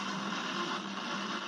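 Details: Konami Lethal Enforcers arcade PCB with a 054986A custom IC; after reseating a loose chip the popping is gone, but a constant hissy crackle of static persists in the speakers. Owner suspects a bad op-amp.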